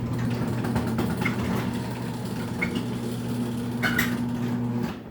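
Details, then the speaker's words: Raynor 270-7 garage door opener on a Chamberlain T-rail, chain maxed out and nearly too long, running the door with a steady motor drone; irregular light popping from the slack chain slapping at the front, roller planned. "Hear that popping? That's the chain up front."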